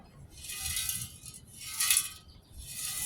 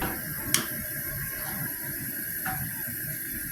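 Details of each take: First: Old Coleman 426D three-burner camp stove, fuel tank shaken: three bursts of gritty, tinkling rattle like loose flakes inside, rust built up in the tank; grit also found on the pump's leather cup. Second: Three-burner Coleman 426D camp stove after cleaning the leather pump cup: all three burners lit and pumped to pressure, giving an even continuous hissing roar with no sputter or popping; normal burner operation, generator may need replacing sometime.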